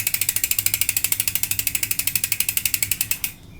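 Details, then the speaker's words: Face Ace 32-hole freehub hub with four bearings, wheel spun: crisp, evenly spaced clicks about ten a second that stop cleanly as the wheel slows; a healthy, loud freehub pawl ratchet. "Kita lihat karena sangat presisi sekali untuk pembentukan bearing, silent bearing. Suara jangkrik nyaring."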